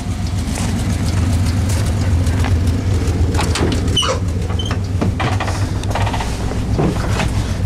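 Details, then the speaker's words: Dodge Ramcharger with a rebuilt Dana 44, both axles re-geared 3.21 to 4.11 and a new intake manifold: deep, steady idle rumble at about 700–900 rpm with no knocks, misses or hunting; normal smooth idle. "idles comfortably at 700 rpm roughly well if you look straight on to it it's probably a little closer to 800."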